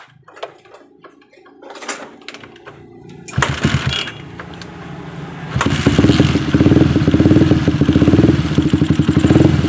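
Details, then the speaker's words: Suzuki Satria FU, previously dead (mati total), after the spark plug and compression were checked and the plug reinstalled: a few hesitant turns, then it fires and settles into a steady, even single-cylinder beat; it starts and runs again. "kalian bisa saksikan bersama pakai motor sudah sudah bisa nyala kembali"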